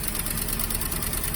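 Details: 1967 Mustang 390 V8 with a Holley carburetor idling fairly steady with a slight lumpy beat, vacuum leaks present; the float level keeps dropping and returning, suspected fuel inlet problem, and it idles fine while the float stays up.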